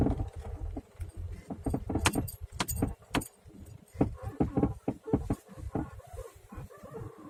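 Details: Suspension knocking and squeaking over bumps: irregular sharp clunks and light rattles in bursts; straight ball joints new, upper ones used, no stabilizer bar fitted; owner asks whether the angled ball joints could knock and squeak like this; suspected, not confirmed.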